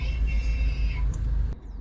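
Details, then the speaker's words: 2017 Range Rover Evoque with the engine idling: a short, steady electric whir rises when shifting between park and drive, which is the electric parking brake motor working. Normal parking brake motor whir. "every time you go from park to drive you hear this that's the parking brake releasing"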